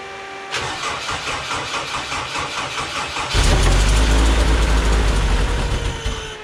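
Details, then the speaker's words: Race car after a new fuel pump was fitted: long rhythmic cranking for about three seconds before the engine stumbles and catches to a loud, uneven run. Hard starting; owner suspects insufficient fuel. "okay so that's better than it did last time last time it didn't even start at all sounds like maybe not getting enough fuel in there"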